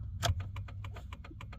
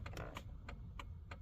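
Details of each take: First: 2001 Dodge Ram work truck, in the cab: right turn signal ticking fast and evenly, about three or four clicks a second versus the normal left side; hyperflash from a blown turn signal bulb. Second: 2001 Dodge Ram work truck, in the cab: left turn signal clicking crisply and evenly at a normal pace, about three per second; flasher and bulbs on that side working normally.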